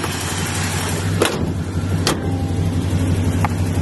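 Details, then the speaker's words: 1973 car with 350 V8 and carburetor, no air cleaner, idling steady and even like a sewing machine after repair ended the sputtering; a small exhaust leak is also heard. "Let y'all hear how it sound now. I said this thing run like a sewing machine, boy. Run like a sewing machine, man."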